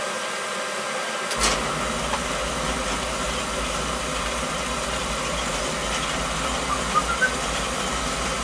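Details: Oil-fired boiler burner after repair (circulators and control reassembled, a part found full of water) that had been tripping the main panel breaker on burner start; burner kicks on at about one second, steady even roar with low hum, no cutting out, no trip; running normally.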